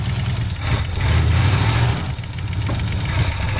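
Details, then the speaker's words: Engine revived after sitting for years, cranked up again; deep, steady low rumble with mild throttle swells, no knocks, misses or squeals; runs good and healthy. "yeah let's crank it up give it one more last hurrah man that engine runs good though"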